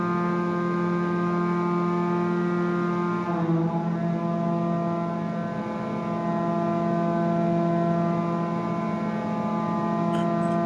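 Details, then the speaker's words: Collins Aerospace ram air turbine in a wind tunnel, already at speed during an automated step-load sequence of changing loads and air speeds: steady multi-tone hum dipping in pitch briefly at a load step, then settling; normal speed governing. "So here you'll be able to hear, you can actually hear the change in turbine speed as those different loads or air speeds are being applied."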